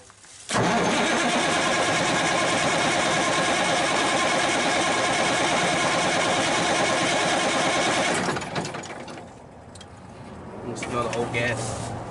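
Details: Cummins 350 Big Cam in a roughly 1991–92 Kenworth, not run in years, first start attempt with the solenoid powered to run the pump: harsh, steady cranking churn for about eight seconds that never catches. It cranks but won't fire; cause unconfirmed.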